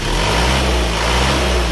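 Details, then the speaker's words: Isuzu Panther diesel at about 71°C after repair: the cylinder 4 liner had sunk and leaked compression, so it was flipped and new piston rings fitted; no dipstick smoke. Smooth, even idle with a soft low beat and no rattle or knock; healthy. "lihat sel aman di pagar jaswadi Suaranya sangat istimewa empuk"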